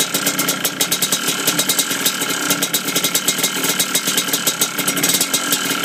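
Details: Yamaha Blaster two-stroke at idle: a sharp metallic rattle tapping about eight times a second; the engine knock is of uncertain cause, possibly piston slap.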